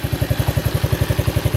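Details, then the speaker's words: 1991 Honda CT70 single with about 500 original miles, fresh oil change: an even, steady putter of about eight pulses a second with no ticking or misses, a crisp idle described as tight as a watch. "And when we get the engine started and stuff, this thing is like a little watch. And it's still, you can just hear how tight it still is."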